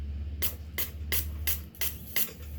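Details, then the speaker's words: Mazda 3 crank-no-start, injector No.1 bench-tested under fuel pressure with negative triggered: six crisp hissing sprays, about three a second, over low hum; sprays only when triggered and stops when cut off, normal. "So ganyan dapat k pag nag-off yung ano computer box hindi na siya mag-spray dapat"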